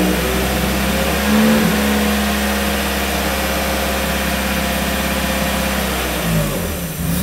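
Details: 1994 Miata NA with 2000 NB engine, first start on Megasquirt and EDIS-4, 4-2-1 header, Yonaka exhaust, not yet warmed up; brief rev blip then steady even idle without hunting after VE adjustment from rich: normal idle.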